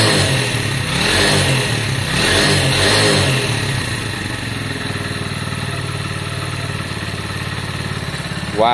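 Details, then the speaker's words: Lexmoto Valiant single-cylinder motorcycle after up-jetting, choke off: a few clean throttle blips then a steady idle without stumbling; sounds much better after the upgrade and didn't need choke, running right. "sounds so much better with that upgrading um so much better actually guys that's choke off which means it didn't need it as well which is a good sign"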